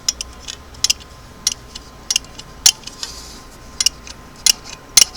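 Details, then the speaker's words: Singer clam-shell sewing machine foot pedal after restoration, pedal released: sharp dry ticks about every half second, 'crickets' from return spring rubbing in worn plastic holes. Foot pedal spring clicking. "we called it I think crickets that's the spring in that and the holes down there rubbing out of the plastic"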